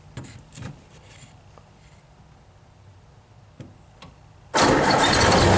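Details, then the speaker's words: 1930 Ford Model A on an 8-volt farm battery: a few quiet clicks, engine cranks fast, catches almost instantly and settles into a strong even run; stronger spark, starts like new. "it's going to turn over fast starts like a brand new car now and an 8 volt system"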